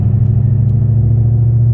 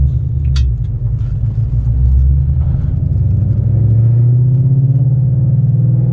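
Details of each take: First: Car with a McLeod RST twin-disc clutch pulling away at about 20 mph in fifth gear at very low rpm; deep, pulsing rumble of low-rpm clutch chatter. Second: Car with McLeod RST clutch and 3.73 gears pulling away from a stop in second gear at low rpm: deep, even engine rumble climbing smoothly, no clutch chatter or shudder.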